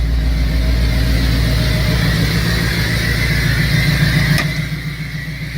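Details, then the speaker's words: 2003 Cobra engine with a dead cylinder, bad oil burning, knocking and bad valve cover seals, revved to about 4,000 rpm: deep drone with an uneven beat of three or four pulses a second, audibly missing; vacuum leak and left-side exhaust leak suspected. "Thing's running like ass. I can hear it missing."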